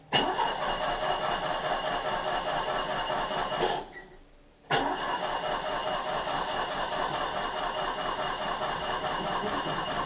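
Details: Old Opel unmoved for a long time: steady whirring crank runs on for seconds, pauses, then cranks again without catching; long, hard start, suspected to be from sitting.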